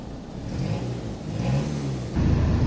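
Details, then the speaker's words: 2-litre TFSI VW engine, first started lumpy because almost out of fuel, low battery; after topping up fuel, smooth even revs rising and falling cleanly when blipped, no knocks or rattles: healthy engine. "So I topped up some fuel and it sounds much better now. She sounds pretty spicy. Pretty spicy."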